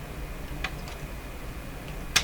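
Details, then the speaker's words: Grundig Satellit Professional 650 radio, power switch thrown when cord plugged in, power transformer suspected: two crisp single clicks about 1.5 seconds apart over quiet hiss; normal power switch click. "Oh yeah, it definitely throws the switch. We can hear it. Yeah, definitely no problem there."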